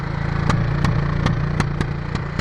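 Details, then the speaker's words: 1996 Honda NTV 650 barn find, sat six or seven years, at a throttle-blocked fast idle gives sharp puffs about every third of a second over the engine drone, blamed on old gas; smoking possibly from old oil buildup. "but is puffing and because the old gas and"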